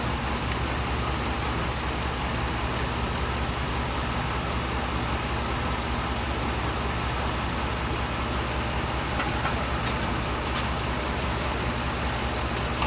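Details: 2007 Dodge Ram 5.7 HEMI V8 idling while warming up after a water pump replacement; 140°F at the thermostat, coolant still purging air, no leaks. Steady, smooth hum over an even rumble, with no knocks or squeals. Normal idle.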